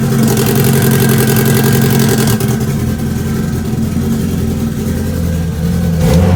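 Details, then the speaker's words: Integra with a fresh tune re-uploaded to the dried-out ECU, and the AFR sensor failing. Loud idle with an uneven, stumbling beat and irregular dips as it revs: still misfiring a little. "all right so at least we know that the ECU is rooing correctly now it still sounded like it was misfiring a little bit"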